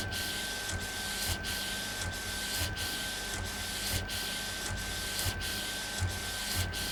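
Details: Epson Stylus Pro 4880 textile printer, first run after repair: regular carriage passes about every 0.6 seconds, steady high tone and smooth hiss, no scraping or clunks; normal printing.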